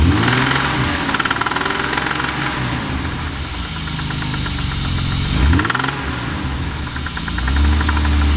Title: M50 loud rattling/knocking noise